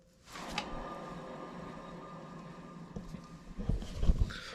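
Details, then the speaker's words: 1986 GMC Sierra 3500 dually, front hub spun by hand during brake work: low, steady roar as it turns; suspected worn wheel bearing, hubs to be pulled and bearings checked, repacked or replaced. "spin's good but yeah it's got a little Roar so we're going to pull the hubs off and uh probably check the Barons"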